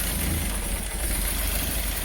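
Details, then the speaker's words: Peugeot 205 GTI after its no-start and idle-control fix, not yet fully set up: a steady, even petrol idle sits slightly too low. "it's a little bit low there"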